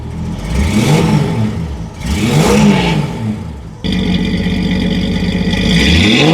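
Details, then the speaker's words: Ford Falcon six-cylinder with a new stainless exhaust, J pipe and single-chamber muffler: quick rev blips with a raspy puffing edge that follows engine speed, from a leaking exhaust manifold; much quieter than the old straight pipe, but the leak needs fixing. "yeah I'm going to have to fix that exhaust leak that's annoying it's a lot quieter A lot quieter"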